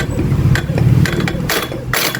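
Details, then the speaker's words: Computerized Juki high-speed sewing machine: rough, uneven bursts of clacking over a low motor drone, traced to the servo motor rather than inside the machine as first thought; servo motor opened to find the cause. "Okay, sa servo motor tayo pag-open. Yung pala yung ingay na sinasabi ni ma'am. Akala ko dito sa loob dito. Yung pala, nandito."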